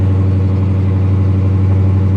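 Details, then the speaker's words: Repo car at Copart with 73,000 miles, just started by push button; strong even low burble at idle, no knocks or misses, runs great despite flat back tire. "back tire is flat but it runs great"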